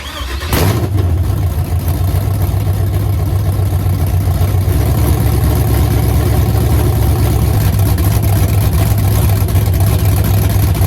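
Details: LS-swapped Chevy C10 at first fire, untuned, with an unknown cam (cam card on hand, owner expects the tune to remove some chop); loud choppy idle loping about four beats a second; lumpy cam idle.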